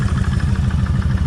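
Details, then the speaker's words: Kawasaki Vulcan 1600 V-twin at idle, microphone held close to the front cylinder's timing chain side: a rhythmic clatter on each firing pulse, noisier than at the rear. Finding: slack front cam chain; the owner plans to back the adjuster out and reset it. "than what it is over here so that tells me I need to pull all this off redo the same thing back that adjuster out"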